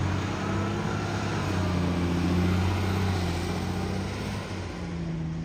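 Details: Garbage truck with a severe exhaust leak: heavy diesel rumbles steadily under road noise, with a faint rapid puffing tick riding on it.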